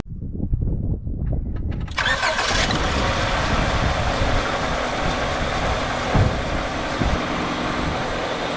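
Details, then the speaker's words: 1999 Honda Accord, nearly 200,000 miles, misfire after a cold snap, codes P0301, P0303, P1399: uneven stumbling idle with lumps, one cylinder dead; traced to a weak injector, replaced. "look at the Idol's terrible that one made it spit and sputter so I think it's good cylinder"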